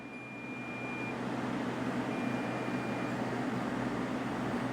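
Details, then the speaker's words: Bluetti AC300 power station, off-grid, pushed beyond its 3,000 W rating. Repeating one-second high beeps over fan hum are the inverter overload warning alarm. The unit fails into protect mode, then restarts itself. "Inverter overload warning. Clear? Yes? So we got it to fail. We got it to fail, folks."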